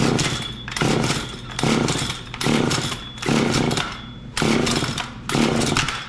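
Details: John Deere CS40LE chainsaw after an oiler install and a failed carburetor repair attempt: revs rise and sag in a steady surge about once a second and won't hold speed; the fuel mixture is suspect.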